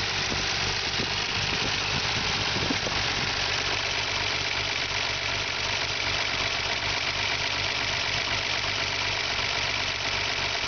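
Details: Nissan R32 Skyline GTR petrol six idling lumpy and uneven with slight misfire and steady hiss; worse when cold, better warm, mostly gone at 1200 rpm idle; erratic valve tick audible inside car; drives great.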